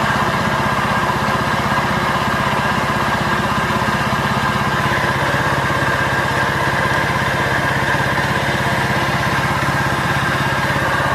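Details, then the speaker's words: Honda Vario 125 scooter that had seized, with coolant disappearing and mixed into the oil; after freeing it with oil it idles steadily with a rough, uneven knock from deep inside. Internal engine knock; crank bearings, con rod, piston and head to be inspected. "nah dan suaranya Udah jelas ya itu di bagian mesin ini tanpa komponen persipitian ya teman-teman jadi wajib kita belah"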